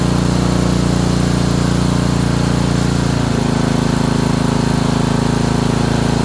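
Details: Honda small engine, probably a water pump, after ignition coil install; steady speed with hard regular knock about two per second. Owner suspects bottom end, unconfirmed.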